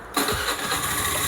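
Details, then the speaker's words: Honda Zoomer-X that had hard starting and stalled on throttle, after replacing the low-pressure fuel injection pump (rust found in tank): starts instantly, settles to even idle, throttle blips without stumbling; normal start and idle. "สตาร์ทติดง่ายแล้วทีนี้นะเดินเบาได้ปกตินะครับป๋าเบิ้ลคันเร่งดูอีกทีไม่วูบแล้วนะครับ"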